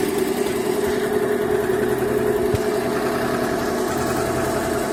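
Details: Yehi embroidery machine running after repair and reassembly; it had constantly shown error E24 and would not stitch when start was pressed, now fixed. Even quick chatter, about 2.5 beats a second, over steady hum; stitching smoothly, no hitches.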